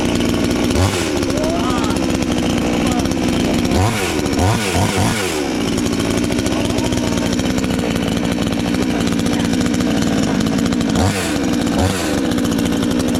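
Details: Chinese counterfeit chainsaw sold as a Stihl, newly assembled and first start attempt: saw fires and settles into a steady buzzing run with a few quick throttle blips; starts and runs fine.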